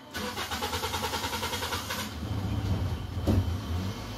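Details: Toyota Corolla Altis with a hard-starting delay, started after priming the fuel pump and purging air from the injectors: starter cranks with even pulses about two seconds, then catches and settles into a steady idle; a normal start.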